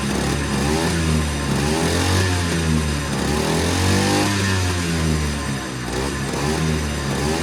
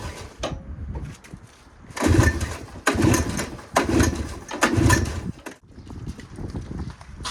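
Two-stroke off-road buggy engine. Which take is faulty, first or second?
second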